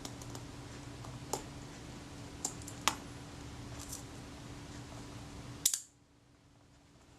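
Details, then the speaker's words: Kodak Retina Reflex IV shutter, slow-speed retard gear train shifted in its elongated adjustment hole: one release with a short whirring buzz ending a touch early; slow speed slightly fast after adjustment. "That sounds a bit fast. In an ideal world you would have a graduated screw there that you could just turn a certain number of degrees and expect things to move a certain distance,"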